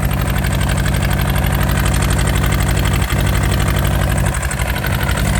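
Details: Yanmar TK486 4-cylinder diesel just started with the throttle low: lumpy, uneven idle with a loping beat about four times a second; missing, running on two cylinders.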